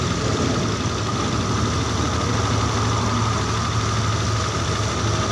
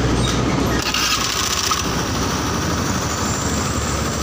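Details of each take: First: Honda Beat injection scooter after engine rebuild (cylinder bored to oversize 50, crankshaft bearings replaced), idle screw being set at about 2.5–3 turns with auto choke still working: steady even hum that stays too fast, high idle. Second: Honda Beat injection scooter after engine rebuild (oversize 50 bore, new bearings), idle screw set around 3 turns, about 1400 rpm, not over 1500: low, even idle with steady burble, no misses or surging; normal idle.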